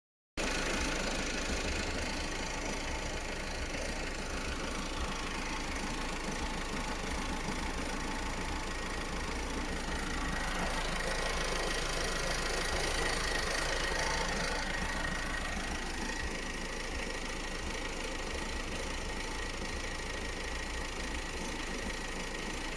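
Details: Opel Astra J B16DTH diesel with only 55,000 km idling with an uneven, knocky clatter, roughly four knocks a second, and a faint tone rising midway; engine running really strangely with strange noises.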